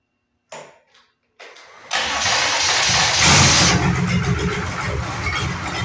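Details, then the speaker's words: Detroit Diesel engine on a lawn mower project, cranked with throttle wedged wide open; a couple of short cranking bursts, then it catches and roars to a loud, rough, steady run, some smoke seen. "can you guys come hold this while I crank it that'd be great thanks you're such a nice guy she's wedged open she's really going to sound angry now"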